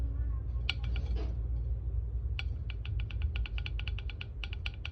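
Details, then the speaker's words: Car differential rear axle after bearing replacement: sharp squeaky chirps, three or four a second, over low drivetrain rumble; axle shaft worn undersize at bearing seat causes bearing noise, axle will eventually break; repair or replace axle. "आवाज़ आप सुन रहे हैं, ये एक्सल का size down है, जिस वजह से ये बैरिंग से ये इस तरह की आवाज़ आ रही है। कुछ अरसे बाद चलने के बाद ये एक्सल टूट जाएगा।"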